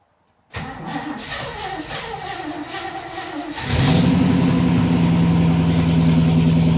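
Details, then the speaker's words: MG Magnette ZB V8 coupe project with auto chokes, cold, throttle pedal pressed fully to set carburetors to choke: several seconds of steady cranking, then it fires and holds a firm, even fast idle. Normal cold start on choke. "you depress the prop the throttle pedal down fully it's down there just and that sets the carburetors to choke mode then it should start up"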